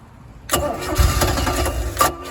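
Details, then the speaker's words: 1985 Dixie boat with a 2.5 MerCruiser, sat 6 years, running on a swapped-in electric fuel pump with water hooked up, in neutral. It catches at once into a steady, even idle with no misses or knocks. Normal start and idle. "I'd say it runs pretty good."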